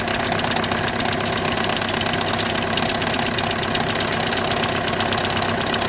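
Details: 2008–2014 VW with DSG gearbox at idle: a rough, uneven buzzing chatter about twice a second over the engine. The diagnosis is DSG clutch plate vibration, with the plate bearing also tagged.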